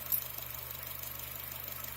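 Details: Honda at a quiet idle: a faint, quick, even ticking about ten a second under the hood, first thought to come from the throttle body but traced to the EVAP canister purge valve clicking.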